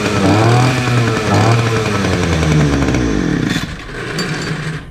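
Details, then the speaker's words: Titan two-stroke petrol multi tool strimmer, started on choke after new fuel lines and new spark plug; buzzes up and down with throttle blips, no stumbling or cutting out, some smoke, runs well, though its tank isn't venting properly. "Result, a bit of smoke in here, so I'll get outside and I'll come back in a minute. Right, there you have it, not bad."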